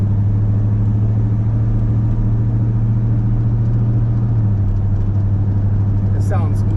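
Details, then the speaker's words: Chevrolet C10 with 454 big-block V8, after adjusting a loose valve for an engine tick, driving under light load while warming up: steady even low rumble, no ticking or knocking; sounds much better, running normally. "much better though"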